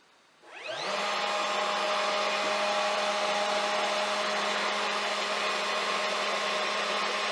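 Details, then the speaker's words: Air-cooled CNC milling spindle, free-running: spins up quickly to a steady loud airy roar with even whine from its rear cooling fan; normal running, fan noisy. "Bir de bunun gürültüsünü arkadaki havayı sağlayan pervanedeki gürültüyü dinleyelim"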